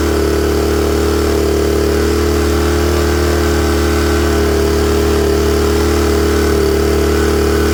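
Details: Honda generator warm, automatic choke off: steady even hum, constant low drone, no misses or surging; idling cleanly.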